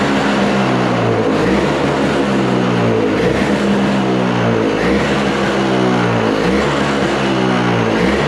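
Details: Toro snow blower with R-Tek (Briggs & Stratton) engine, bought non-running, after carb cleaning and fresh fuel: buzzes steadily with a light rhythmic waver, firing every stroke. Running fine; idle possibly not set right.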